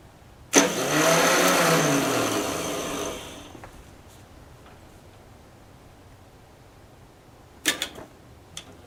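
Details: 10hp LaunTop Yanmar-clone diesel at about -4C, hard cold start. About three seconds of cranking with a rising whir that fades without steady firing. The owner suspects a poor ground through a painted-over stud.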